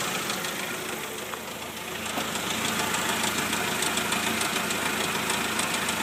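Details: 1999 Jeep TJ at warm idle: a sharp regular tick, about three and a half knocks a second, above the engine note. The knock occurs only when warm and does not get louder when driving.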